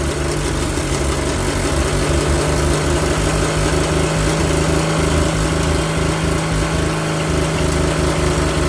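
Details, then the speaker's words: Engine run for the first time in 30 years, with water run through it: a steady, slightly uneven low rumble that keeps running on its own; oil pressure reached almost 50 psi when revved and there was slight smoke, as the rings still need to seal. "ah he saw it it went up to almost 50 pounds when I revved it up and I just smoked a little bit but it ain't been ran in 30 years so it needs to seal the Rings"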